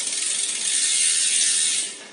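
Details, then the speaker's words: Road bike in small front chainring with largest rear cog: steady high-pitched scraping hiss as the chain rubs the front derailleur cage; trimming the left shifter half-step removes the noise. "Jika belakang besar, depan kecil, ada bunyi. Nanti sama seperti yang satu setengah tadi."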